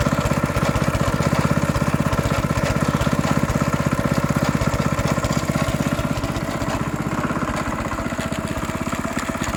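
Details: 14-year-old Honda GX160 single-cylinder engine running steadily with a busy metallic rattle and grind from inside; starts and runs well, no smoke, clean oil, good compression.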